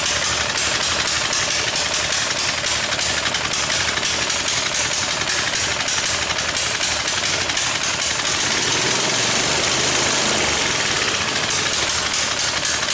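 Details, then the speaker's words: Coleman BT200X minibike after a crash in mud, not returning to idle: small single revving unevenly with sharp irregular exhaust pops about four a second; owner suspects a valve issue, and a gasket possibly blocking the idle port. "so another thing I'm noticing too when this engine runs and I'll start it up for you to hear it again is that there's a lot of popping going on and I'm thinking I'm thinking might be a valve issue as well"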